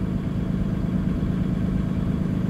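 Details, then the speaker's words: Cummins B6.7 diesel truck/bus during a forced DPF regen: steady, even rumble at a raised idle about 1050 rpm, constant low drone, no knocks or misses. Normal fast idle. "and it uh will fast idle about 1050 RPMs that is perfectly"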